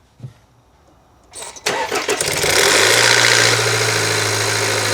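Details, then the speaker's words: 2020 Land Rover Evoque 2.0 L turbo, cold start: cranks and fires, then idles with a loud busy metallic rattle, very bad at startup and a slight rattle persisting, the common cam phaser rattle; engine to be torn down. "right, you kind of hear it still kind of rattle. It was really bad when you initially started, and it still kind of maintains a slight rattle to it."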